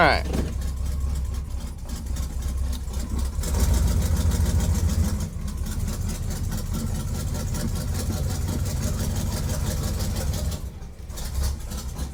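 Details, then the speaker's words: Square-body truck V8 cold start, heard through slightly open window: deep burble with slightly lumpy irregular beat; owner suspects a slight misfire, possibly oil-fouled plugs since it burns much oil, not confirmed. "There we go. I think I might actually be detecting a slight misfire."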